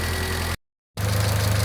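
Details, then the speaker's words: Mitsubishi Lancer 1.6 on petrol and LPG, misfire, surging and stalling when warm, after repair: steady even low idle pulse at near operating temperature with no stumbles or knocks, running very evenly and correctly. "pracuje bardzo równo bardzo poprawnie"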